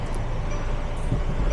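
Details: Mercedes Sprinter 2023+ OM654 2.0L four-cylinder diesel started after fuel filter cartridge replacement, primed by two ignition cycles; low even rumble settling into clean steady idle, no stumbling, misses or knocking.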